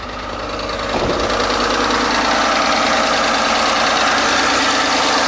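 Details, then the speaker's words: 2010 Ford F-150 idling after an oil change, with timing guides/chain replaced about two years earlier. It catches and settles into a loud, busy sewing-machine rattle from the cam phasers and timing chain; owner suspects failed plastic guides. "I want to go ahead and start tearing apart tear into it and see what I can find that uh we'll start it up here real quick and go out there and listen to it sounds sounds horrible sounds like a sewing machine hear"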